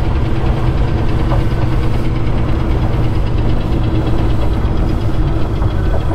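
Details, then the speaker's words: C10 pickup V8 during a short drive after reassembly (no brakes, transmission shifting): a heavy low rumble with a deep tapping knock. First taken for a lifter, now suspected to be deeper, possibly a rod bearing. "you hear the tap I do I thought that was a lifter or something uh might be a little deeper than lifter it might be a rod man a rod bearing to me"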